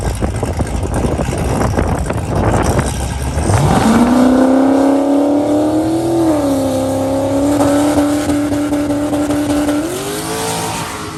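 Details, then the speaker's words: Turbo LS-swapped SN95 Mustang with new motor and heads, Holley EFI, Powerglide, second test pass at the drag strip: revs sweep up then hang flat and climb slowly; turbo lazy building boost at launch. "do not bad it seems a little lazy getting on the chip"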